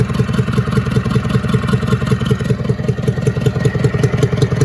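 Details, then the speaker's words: International Harvester B414 tractor diesel, previously locked up, head reinstalled, running warm: steady thumping idle about 160 a minute with light pops out of the intake; valves need readjusting. "popping out of the intake still because I need to readjust the valves like I've already told you."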